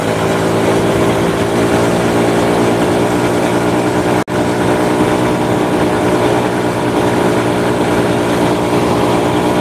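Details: Honda Supra motorcycle shipped in by cargo in a box, after workshop overhaul of a badly damaged engine; steady even running with smooth continuous note, no knocks or rattles: normal running.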